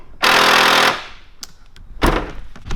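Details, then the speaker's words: Ford Falcon FG/FG-X boot lock actuator failing: a harsh, steady electric buzz under a second, then a few clunks; replacing the boot lock actuator cures the noise. "I can confirm that if we change the little boot lock actuator, it's going to get rid of that noise and hopefully will last you forever into the future."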